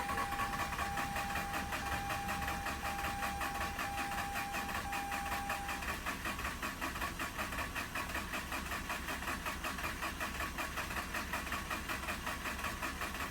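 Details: Mazda RX-8 rotary that shut off while parking, battery near 12.1 V with extra charge applied; steady, fairly slow cranking at nearly two pulses a second that never fires; crank no-start, owner blames not pre-mixing oil, cause unconfirmed.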